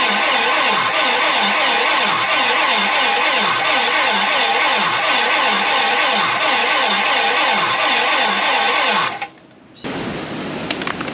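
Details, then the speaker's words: 1987 GMC Jimmy K5 Blazer diesel that sat a while: steady starter cranking about three and a half turns a second with no firing, seems to have compression, won't fire even with ether; owner suspects gelled fuel, unconfirmed. "I even tried throwing ether down the app and it won't fire then sounds like it has compression"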